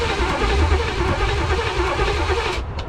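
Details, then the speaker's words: 1985 Pontiac Trans Am, 350 small-block Chevy (5.7) unrun for seven years and freed from seizure, cranking on a replacement starter; brisk, even cranking with a steady low chug at about 3.5 turns a second, much faster than before; spark present; normal cranking. "right let's have spark and it's turning over a head of a lot faster"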